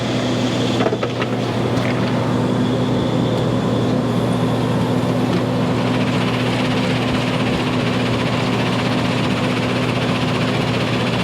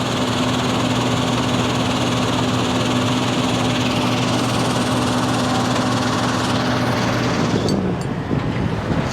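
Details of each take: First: 2200 mesh screen plant, freshly started: a steady low drone with a constant hum and no rise. The screen is running slow at 925, so its speed adjustment is about to be turned. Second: 2200 screen plant after speed adjustment: a steady even drone with a constant low hum and no knocks or surging. The screen head is running smoothly and is to be locked off at 1140.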